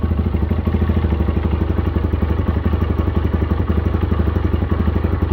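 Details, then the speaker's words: Chinese budget dual sport (Tao TBR7-type single cylinder) started very cold on a new Champion plug: light, quick ticking over steady idle from slightly loose valve clearance, harmless; smooths out once warm. "definitely hear my valves are a little bit looser it's not a bad thing yep enough to let it warm up and just like that we have a fairly smooth idle"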